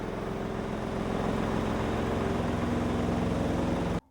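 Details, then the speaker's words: Godrej 7 kg semi-automatic washing machine spin dryer after replacing the dryer buffer, tested with a heavy clothes load: steady even hum with soft regular rumble, no knocking or scraping; earlier loud dryer noise now normal. "मैंने इसमें कपड़े काफी ज्यादा दल दिए हैं लेकिन उसके बावजूद भी अब आप देख सकते हैं की यह बहुत ज्यादा आवाज़ वैसी नहीं कर रहा है अब इसकी जो आवाज़ है एकदम नॉर्मल हो गई है"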